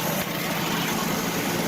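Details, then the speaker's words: 1967 Ford Mustang 200 cu in inline six, after a new thermostat housing, water pump and hoses (original radiator kept), cranked right up: steady, even idle, smooth unbroken hum, no knocks or misses; normal idle. "So, but she's back to running again, cranked right up, no problems."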